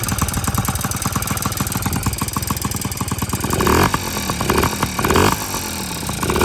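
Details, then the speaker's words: Yamaha PW50 two-stroke with new top end, on premix, intake not yet fitted; crisp popping idle then sharp revs rising and falling cleanly, loud through the open intake but healthy after previously refusing to start. "Sounds like a loud intake. Yeah, pretty cool."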